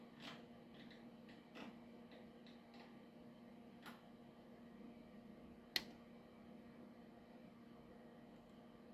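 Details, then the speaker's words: High-voltage discharge across a flea-market vacuum tube, driven end to end from a current-limited supply drawing about 7 mA. Faint hum with scattered sharp irregular snaps and crackles and one louder pop, arcing heard inside the tube. "Let's see if we can see a discharge inside. I don't know if you can see anything, but you can definitely hear it."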